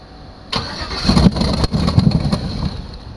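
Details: 2006 GMC bought cheap, after reconnecting its disconnected starter: brief cranking, then a ragged, uneven roar for about two seconds before dying. It cranks, fires and stalls; the owner suspects anti-theft or throttle butterflies, not confirmed.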